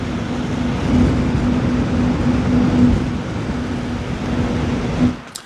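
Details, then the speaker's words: Thermalright Grand Vision 360mm AIO liquid cooler with fans at 100% speed: a loud, steady rush of air with a low hum underneath, normal but rather loud. "So at 100% fan speed, they're rather loud."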